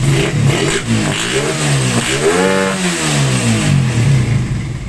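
Engine revs up cleanly and drops back smoothly, pitch rising and falling evenly with no popping or stumbling; sounds healthy.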